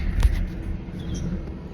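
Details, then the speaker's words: 1995 Lexus SC400 petrol V8 that sat two years on old fuel, needs spark plugs and has a vacuum leak: low, uneven idle wavering and sagging, stalling within seconds; rough idle. "It actually runs terribly because it needs spark plugs and has a vacuum leak, things like that."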